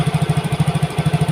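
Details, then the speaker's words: Yamaha Mio GT fuel-injected scooter before injector replacement, dies without throttle: single-cylinder putter about eleven beats a second skipping once; unstable idle from dirty injector, mixture trim at 24.8% despite normal 33 intake pressure. "Jadi motor ini itu peak kerusakannya adalah di injektor."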